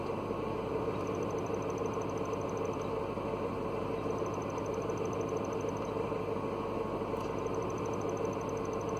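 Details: Mercedes W202 C230 Kompressor, manual, at idle in neutral with the parking brake on. A thin, high chirping squeal comes and goes over the engine hum and disappears when the clutch pedal is pressed or just tapped; a clutch release bearing starting to fail.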